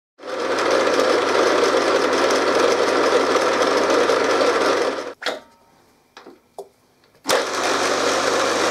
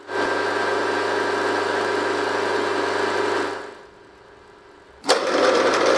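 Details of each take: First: RF45-style six-speed geared-head milling machine, oil-filled gearbox, bought second hand: busy steady rattle near four beats a second, stops briefly then returns; always noisy, worsening, spindle seal leaking; worn gearbox suspected, before repair. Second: RF45-style milling machine (AMA 45, Taiwanese) geared head after a gearbox rebuild for a rattle, less backlash in the gear train, resealed and refilled with recommended gear oil: even, steady gear whir with no knocking or grinding, then spins down and restarts; noticeably quieter and smoother than before.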